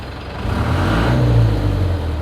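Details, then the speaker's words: Chevy K30 squarebody crew cab with a 4BT Cummins diesel swap and NV4500 five-speed, after a 20-mile test drive. A deep, smooth diesel rumble swells evenly with the rev and settles back, with no knocks or rattles. The owner calls it super quiet; the engine sounds healthy. "I'll start it up you'll hear I mean it's super quiet"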